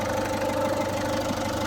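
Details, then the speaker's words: Ford Fiesta at warm idle: a light, busy rattle over the steady hum that stops when revved or driving. Probably from the belt drive area; a tensioner, idler or timing component suspected but not confirmed. "We've got that noise. And it's only on idle. So if you rev it, move the car, completely stops. So my suspicion is that it's going to be a tensioner, idler or something on the timing."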